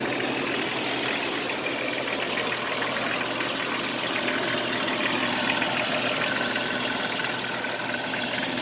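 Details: Jeep Cherokee XJ at idle: light uneven rattle about three ticks a second over a hiss; owner also reports a scraping metal noise near the power steering pump; source not pinned down.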